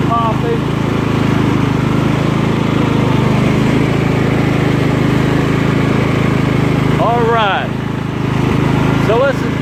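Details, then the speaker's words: Scotts lawn tractor after repair, with the blades engaged: steady, even engine drone holding speed with no surging or popping, running healthy under cutting load. "let's engage the blades and see what happens. Blades engaged. Running good."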